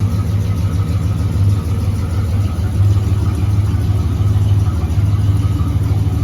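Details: 1970 Dodge Charger, 383 big block V8, stock exhaust before Flowmaster install: deep rumbling burble with light rises in revs, even firing, no knocks or ticks; healthy engine.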